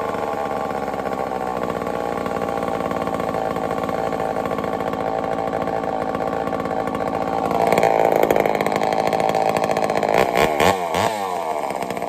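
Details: Homelite Super XL-923 82cc chainsaw test fire after tuning; loud two-stroke pulling steady, then snapping up sharply on throttle; tuned easily, a little rich on low speed, good and snappy.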